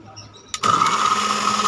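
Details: Dowell blender with a power-but-no-spin fault, on speed setting 1: silence, then the motor kicks in with a steady high whir that holds even. It runs once its contact switch is pressed.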